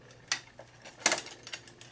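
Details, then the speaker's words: Older Cannondale bike with shortened chain, cross-chained to smallest front ring: sharp metallic ticks, a few a second, as chain rubs and catches on the chainring's shift pins; still works. "can hear that it rubs it still works you could write it this way but it's gonna make some noises it's catching on these little pins on the front"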